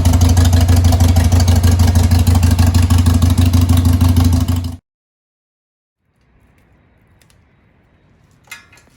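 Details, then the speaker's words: 2000 Harley-Davidson Sportster XL 883 after replacing faulty ignition: steady fast starter churn, about three beats a second for nearly five seconds, never catching because coil pack wires were left unplugged; cranking without starting. "Dude, sounds like your starter's firing quicker. Actually, oh, you know why? Hey, what we're gonna do here is Oh yeah, hey, you might want to plug in the coil packs."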